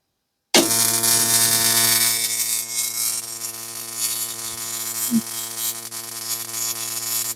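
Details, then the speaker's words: Original East German (DDR) Simson/MZ ignition coil on a Bosch spark-gap tester, around 6 mm gap: loud, even, rapid snapping of a rich blue, clean spark; healthy ignition spark, quitting around 11 mm. "Also sie hat einen satten blauen Zündfunke, was sehr gut ist, ja. Wenn der sich anders verfärbt ins Helle und Rötliche, ist es nicht so gut. Also sie hat einen sauberen Knallen, richtig schönen Funken, laut sogar."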